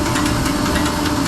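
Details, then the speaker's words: Diesel injection pump on test bench being bled of air, turning at 100 RPM pump speed (200 RPM engine-equivalent starting speed): low steady mechanical churn with faint regular ticks as it slowly begins injecting; working normally. "So this pump is now rotating at 100 RPM, and on the engine would be rotating at 200 RPM. So it's always double. You'll slowly hear the pump starting to inject."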